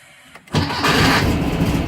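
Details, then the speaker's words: Porsche 914 Bosch starter swapped onto VW Beetle Type 1 engine whose worn transmission mounting let the old starter sit low and sound grungy like a Chevy: quick even crank with steady pulses, no grinding; now sounds like the previous Bosch starter, engaging cleanly. "hey that sounded like it used to with with the other box starter that I had"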